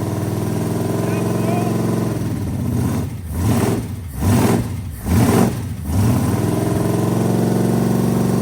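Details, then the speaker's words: 440 V8 mounted in the bed of a 1967 Dodge A100 wheelstander, after earlier no-oil-pressure and smoke checks: lumpy idle, then four quick clean throttle blips with no stumble or miss, all eight cylinders firing properly. "I set the power BR down right here and it goes hey it sounds pretty good it does missing huh not missing I don't think so no no no that was eight happy ones"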